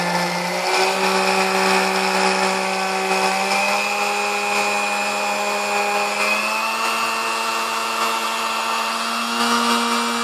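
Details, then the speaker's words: Vintage Sunbeam Mixmaster Model 12, lightly used, after service and maintenance (ran a little noisy before): smooth steady whir with a clean tone settling slightly higher, no grinding or rattle; runs smooth. "Hey so she runs nice and smooth now and I mean this thing is nice"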